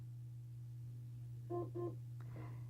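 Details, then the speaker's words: Sonicare HealthyWhite+ HX8911 on its plugged-in charger, power button held two seconds: two short, clear beeps about a third of a second apart over a quiet hum. This confirms easy start mode is on. "see two beeps or hear two beeps and the battery indicator light flashes green twice that means easy start mode has been turned on"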